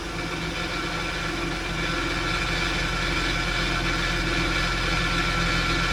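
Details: 2009 Acura MDX engine running with a fine buzzy metallic rattle at low speeds around 1500–2000 rpm, growing slightly as revs rise.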